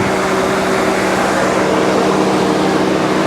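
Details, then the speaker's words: Mercedes S420 (W140) at idle with AC on: even, steady hum with cooling fan roaring at apparent maximum on top; no knock or tick despite oil pressure gauge reading, suspected faulty gauge or sending unit; engine idles healthily. "she's not knocking she's not ticking tapping sounds like the ac is working though cooling fan sounds like it's on maximum"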